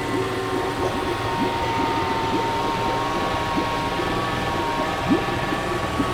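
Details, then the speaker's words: Honda 30 outboard started without its lower unit, no electric start, carburetors not yet tuned: steady, fast-revving drone with only an odd light clink, the earlier knock gone; high revs from lean mixture on low fuel. "no gasoline, so the revs are high. [When the fuel level is low, the rpm rises due to a lean mixture]"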